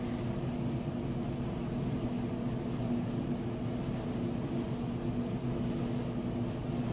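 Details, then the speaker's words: Amana electric dryer about a year old, like-new condition, running on timed setting: steady low hum with even drum rumble, no knocks, squeaks or scraping, perfectly balanced; normal operation. "smooth operation. You can see it, no weird noises, and it's perfectly balanced."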